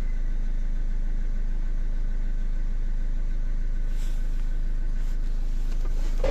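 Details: Renault Kangoo 1.5 dCi diesel, towed in non-starting with DF070/DF116 codes, after replacing the non-working injector with a bench-tested one: steady, even low idle with a smooth regular beat, no knocking or misses; repair complete.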